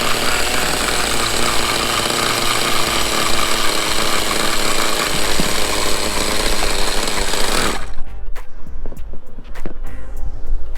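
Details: Vintage 1/5-scale Victory Hawk nitro RC motorcycle, held upside down on a stand and started with a rotostarter and a glow-plug switch, first run after 10 years: high, buzzing engine holds a steady fast run, then cuts off sharply; runs normally.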